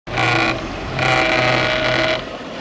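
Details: Mercedes W210 E420 cold engine at idle: the power steering pump gives a whining, groaning tone in two bursts as the steering is turned; the oil level is OK but the oil looks bad.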